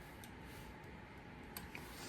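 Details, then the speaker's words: HO scale brass Union Pacific FEF-3 4-8-4 #840 model locomotive sitting still: scattered light motor clicks over a low hum. It is getting power, but nothing transfers to the wheels. "you can hear these like clicking and stuff so these are getting power it's not transferring them to the wheels"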